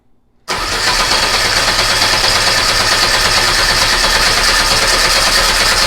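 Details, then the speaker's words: Air-cooled VW Beetle engine sitting two years, on a start stand with control box, coil off, about 70°F: steady even starter whir about three beats a second, no firing, cranking to build oil pressure before the light goes out. "Alright, so we're going to turn the master switch on. Oil pressure lights on. No coil. We can turn the tack on if we want. Let's go ahead and crank until we get oil pressure."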